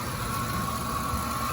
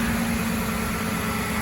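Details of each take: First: 2006 Ford F-150, cold day, tensioner and idler previously replaced: constant thin metallic whine/grinding at one pitch over steady idle from the belt system; owner suspected the alternator, but the cause was a dry idler pulley bearing hidden under the air intake. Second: 2006 Ford F-150 after replacing a grease-dry pulley bearing with a junkyard pulley: steady even engine hum with smooth belt whir, no grinding or squeal, then shut off; accessory drive sounds healthy.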